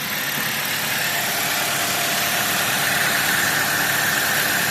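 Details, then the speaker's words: 2013 Dodge Avenger, low-mileage ex-fleet car, idling with the A/C first switched on at about 58°F. A brief blend-door noise goes away, then a steady, even whir and hiss with no knock, squeal or grind. Normal A/C compressor operation, blowing ice cold. "Never tried the AC. Oh, some kind of blend door action. Oh, went away."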